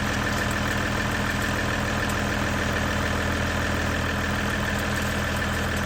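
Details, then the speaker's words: Ram EcoDiesel after aFe charge pipe install; steady, even diesel idle with faint turbo hiss, turbo slightly more audible than before, no knocks or misses. "from what I can hear sounds like you can hear the turbo a little bit more which is good"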